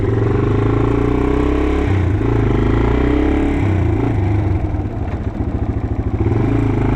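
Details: 1987 Yamaha TW200 single on its test ride after a no-start repair: runs and pulls well, but a loud, raspy chuff on each firing pulse, louder than a sealed pipe, shows an exhaust leak at the header.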